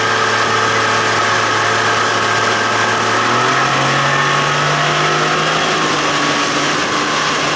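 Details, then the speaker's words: 60 hp Johnson outboard at cruise during a propeller test run, at 3,600 RPM and 23 mph. It holds a steady, smooth high drone with a slight pitch rise as it settles. The motor was lifted after it pulled right and porpoised in waves. "3,600 RPM, 23 miles an hour. Sounds good."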